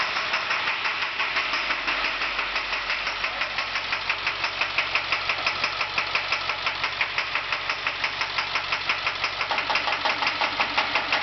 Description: International school bus with a broken injector tip